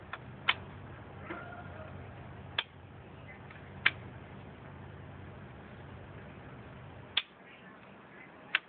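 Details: Triumph Daytona 650 won't start despite good battery voltage: scattered sharp single clicks every few seconds over near silence, starter never spins the engine; cause unknown, battery suspected.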